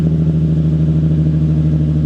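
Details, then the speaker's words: Nissan 350Z 3.5L idling after swapping test pipes for Berk high-flow cats (not yet broken in): steady throaty low drone with even pulse, about the same volume or slightly quieter than before, no rattle or buzz; normal idle. "uh it sounds actually the same volume I would say maybe a little bit quieter um a little bit throatier um no noise inside though"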